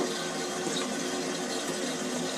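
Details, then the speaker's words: Toilet cistern refilling after a cheap DIY fix of a leak trickling into the bowl: a smooth, even hiss of water filling, then the ball valve closes and it shuts off, with no trickle or hiss afterwards. The leak is cured. "right it's stopped the system's full up now because the the ball valve is closed"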